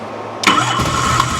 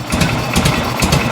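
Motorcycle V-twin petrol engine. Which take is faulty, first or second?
second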